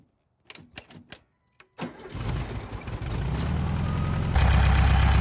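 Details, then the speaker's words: VW Beetle carburetor (Volks bits rebuild) after replacing bad vacuum caps: starter clicks, then a steady, even idle with no misses; rough idle and power loss from vacuum leak fixed, running healthy. "now she runs great nice and smooth no missing idle's fine i think that was the whole problem"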